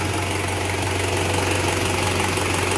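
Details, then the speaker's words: Toyota 1KZ-TE diesel after repair of a knocking piston with a scored cylinder liner, now slightly warm: steady even idle clatter and low hum, no knock heard. "ну так сейчас работает машина после ремонта сейчас она немножко уже тепленькая прогретая запустили тахометр но здесь не работает по каким-то причинам теперь слышно чтобы не стучит"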